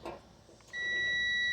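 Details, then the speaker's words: Washer thermal fuse tested with multimeter: faint click, then steady unbroken high-pitched continuity beep; the fuse makes contact and is good. "okay that one's making contact very good this one that one's working oh let's do this one again"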